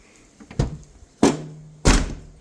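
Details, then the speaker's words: 1996–2004 Nissan R50 Pathfinder after rear hatch latch replacement, which had rattled while driving: three solid, dull thunks with no rattle after. The latch now closes cleanly and firmly. "Solid. Sounds really solid. Yeah, definitely. Definitely close. Yeah, that sounds a lot more solid now."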